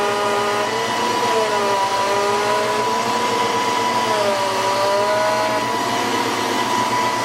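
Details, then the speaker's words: 1993 Ford Mustang GT with a Coyote swap and hydroboost, after a fluid change and before bleeding the booster. Constant high pump whine that dips and rises as the wheel is turned: air in the hydroboost system. "yeah back I can hear the whining and here's what happens when I turn it I wrench it then back there it [Music] is there it's bottomed out"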